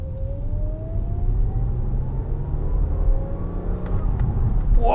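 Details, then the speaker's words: Audi S5 B8 after new NGK plugs, coil packs and a Revo cold air intake, on a test drive: a steady high supercharger whine rides over the low engine drone, climbing slightly with revs, now audible where the stock airbox hid it; normal. "oh that wine i love that wine i've got a super charge of wine now we can hear it hey that's exactly what i wanted"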